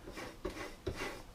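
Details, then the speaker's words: Pioneer CDJ-350 jog wheel turned by hand before repair: dry, scratchy rubbing with sharper catches about twice a second. This is the second unit, which clicks and sticks less badly than the first. Scratchy, sticking jog wheel. "the second one you can hear it there's sort of a bit more Scratchy so to speak"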